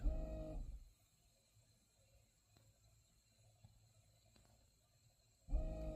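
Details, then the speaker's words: 2014 Toyota Aqua (Prius C) hybrid with ABS and skid control lights on: brake booster accumulator pump, behind the inverter/converter under the hood, whirs about a second, pauses several seconds, repeats; pulsing cycling, booster fault suspected. "Alright, so what you're hearing in the background is the accumulator is to the rear of the inverter converter, is down behind here."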